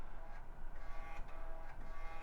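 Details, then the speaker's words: Early-2000s Sony Vaio desktop booting from a boot disk in the legacy floppy drive: short, buzzy stepper chirps in quick bursts, clean with no grinding. The floppy drive is seeking normally. "Drive sounds pretty good."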